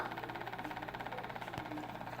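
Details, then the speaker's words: WLtoys 12423 RC car: fast, even ticking of about ten clicks a second from the motor over a faint electrical hum, with no response to the remote and no drive; cause unknown. "Alright, what's this noise from the motor? And it's not working, pressing it. No response."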